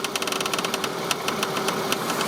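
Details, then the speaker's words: Toyota Sienna (2010 or 2011) steering wheel being turned: sharp irregular creaks over a faint tone, coming from one front side and felt by hand. A worn strut mount; the strut assembly is to be replaced, and this is before the repair. "so if you ever encounter this kind of issue you might consider this you know strut assembly so one more one more Russell either way it's coming from there see that you can even feel it"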